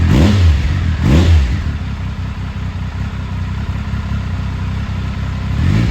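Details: 2000 Triumph Sprint ST 955, first start in 24 years after being wrecked new and stored in a barn, with a cleaned fuel pump and new fuel hoses: throttle blips rise and fall cleanly, then a steady, fairly even idle; runs and revs freely.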